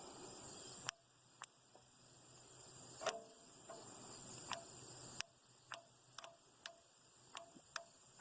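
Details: IH Farmall 706 gas tractor, back in use after sitting over two years: sharp single clicks, about a dozen in eight seconds as the key cycles; corroded fuel shutoff solenoid, cleaned, snapping properly.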